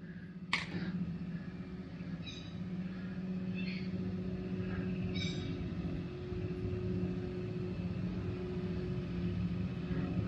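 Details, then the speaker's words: Minn Kota electric trolling motor after a 10-minute service, run at about speed six or seven: steady even hum at its sweet spot, running smoothly. "this sweet spot seems to be right about there that's where it's running quite well"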